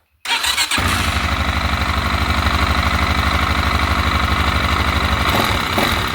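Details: TT 250 motorcycle with a rebuilt 166FMM engine where oil isn't reaching the head: the single idles with a steady tapping knock on every beat up top, suspected valve-gear trouble, not confirmed; top-end knocking.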